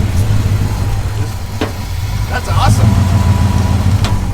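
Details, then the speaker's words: A junkyard turbo Buick Riviera fires up on a jump pack after first just clicking, running smoky at a steady, even low rumble with no misses or knocks. "it started it is smoky is that thing fired right up yeah it works"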